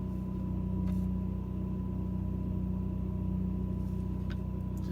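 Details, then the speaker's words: 2004 Winnie Minnie RV rooftop AC, run with the generator on, kicking in as the thermostat is turned down: steady low hum with a faint constant whine over the generator drone; running normally. "So we can have AC now, which if I turn it down, you'll hear it kick"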